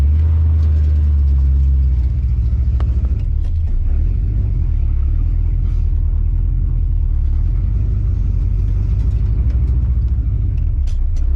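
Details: Oldsmobile TH350 automatic on a road test after governor gear and filter replacement; deep even road rumble pulling away, no flare or slip between gears; first, second, third and reverse all work.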